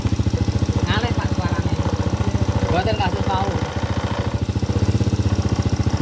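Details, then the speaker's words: Honda Supra Grand carbureted motorcycle during needle adjustment: steady single-cylinder idle near 214 beats a minute with a slightly hollow, uneven note; mixture too lean, needle clip set too high. "Ya, ini ramping. Inilah yang disebut efisien, teman-teman. Terlalu kurus."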